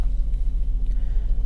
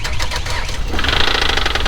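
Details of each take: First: Copart auction car with 98,500 miles, black oil, AC running ice cold: deep, steady idle rumble with even beat and no misfire; runs great, normal idle. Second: Just-bought auction car at start-up: rapid, sharp, regular knocking over the engine that sounded like possible rod knock, though that was doubted; it then stopped, owner guesses low oil and notes a slight misfire; cause unconfirmed.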